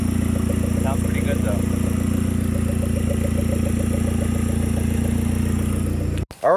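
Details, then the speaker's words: 2010 Hyundai Genesis Coupe 2.0T, first start after head gasket replacement and new 38k-mile OEM turbo: steady even idle, exhaust piece not yet fitted, lubricant burning off; timed correctly, firing well, no misfires. "right so gives you guys just saw it runs good we timed it correctly she sounds like she's in time firing well no misfires"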